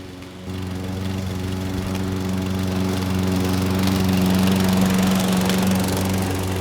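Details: Craftsman lawn mower (model 917.374541) with Briggs & Stratton Quantum engine (128T02-1270-B1), curbside find revived with a new carburetor, cutting three-month overgrown grass: even steady drone rising slightly into thick grass, never bogging or missing; normal running under load.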